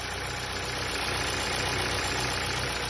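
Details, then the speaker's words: Ford Sigma engine (1.6/1.5) in a New Fiesta, 121,000 km, first start: light, fast, regular bottom-end knock about four per second that persists once warm; suspected excessive piston-to-cylinder clearance, no oil consumption, performance normal. "esse barulho nesse caso aqui não parou ainda ó provavelmente a folga dentro do cilindro aonde o pistão trabalha já tá uma folga bem excessiva"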